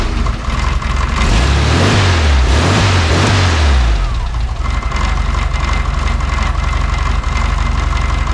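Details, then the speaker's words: VW Beetle flat-four, just revived, with plug wires in the wrong firing order: after a few throttle blips the idle lopes unevenly with missing beats; number three, possibly two and three, dead; misfire from incorrect firing order. "which hole was dead well number three is dead I'm guessing two and three are dead"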